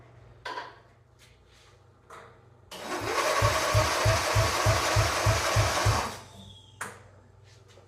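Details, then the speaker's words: 1997 Mastercraft (MTD) 38-inch lawn tractor with a 12.5 hp Briggs & Stratton single, parked outside for years. About three seconds of brisk, even cranking, three to four compression beats a second with no slowing. Healthy starter cranking; spark not yet checked. "that sounds pretty promising we will see if it has spark"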